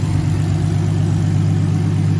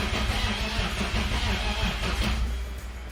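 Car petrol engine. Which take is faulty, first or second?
second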